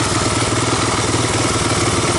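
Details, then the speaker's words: 1985 Honda ATC250ES Big Red three-wheeler, warm idle with choke off after a carburetor swap and adjustments, valves untouched; steady, even single-cylinder putter with no misses or surging. Normal warm idle. "warmed up at this point yeah it's not too bad"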